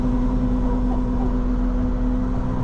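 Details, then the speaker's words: Lamborghini Diablo before exhaust replacement: steady low droning, reedy moan under load, fading when shifting slowly; not accessories, owner suspects exhaust restriction or leak. "it's a moan out of the exhaust somewhere like it's restricted and blowing through like a reed or you know a leak somewhere i just can't find it which is why hopefully this exhaust does it"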